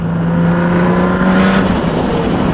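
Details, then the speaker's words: Turbocharged car after repairs, on a low-boost pull: a steady engine drone under load with fluttery turbo chatter on top, the normal turbo flutter of a healthy boosted engine. "First, here's some flutter. And the pull itself. She sounds good, guys. She sounds good. Some more turbo flutter."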